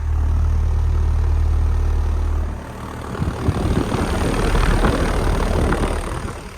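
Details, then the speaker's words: 2008 Carrier Base Series Puron air conditioner condenser with sound blanket, running alongside the Performance Series: steady deep compressor hum, then even fan whoosh; healthy-sounding unit. "And here's the Base Series, which is also running."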